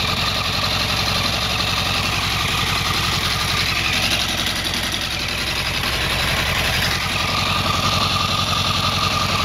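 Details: 2008 Yamaha R1 motorcycle engine idling fast just after a cold start, with a light, sharp ticking running through it.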